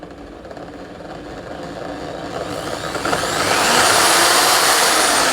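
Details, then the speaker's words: Electric drill from Orion toolset on mains power, switch run from slow to full speed: motor whine climbs smoothly, a touch rough but even, no grinding; bearings acceptable, switch works, normal running. "Kesimpulannya untuk bornya ini meskipun suaranya agak sedikit kasar ya, tapi dia sudah cukup bagus untuk bearingnya."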